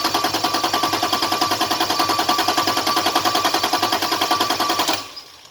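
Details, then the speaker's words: Toyota Cressida with 2JZ engine swap and LQ9 coils: starter cranks at an even three-and-a-half beats a second, never catches, then stops; no fuel because an unconnected harness plug supplying injector power was missing, with coil power also missing. "one thing I was missing there's this bf2 or three plug that needs power for the injectors that's why I wasn't getting any fuel"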